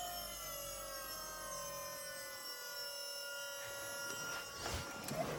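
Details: Volvo electric power steering pump in Chevy S-10, turned all the way up: steady whine with clean even tones, no grinding or rattle; pump healthy.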